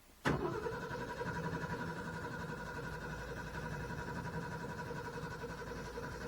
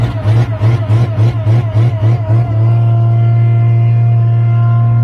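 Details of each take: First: Owatonna 260 swather, first start after sitting all winter, choke pulled, throttle up, mechanical fuel pump, straight-piped; after a click the starter cranks about nine seconds without catching; cranks but won't start, owner suspects fuel drained. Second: Owatonna 260 swather, first start of the season on a weaker battery: cranks with even pulses a couple of seconds, catches promptly and settles into a steady smooth run; normal start and run.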